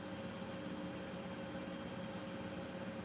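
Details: Miele washing machine final spin, barely shaking and staying in place: steady high-speed spin with an even hum and no knocking, rubbing or whine; drum runs smooth, a healthy spin.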